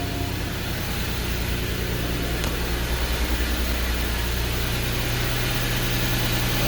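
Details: 2012 Porsche Cayenne with low battery, jump-started with an EverStart Max jump starter after sitting a couple of days: steady, even low idle with no misses, knocks or hunting; runs normally, battery to be replaced.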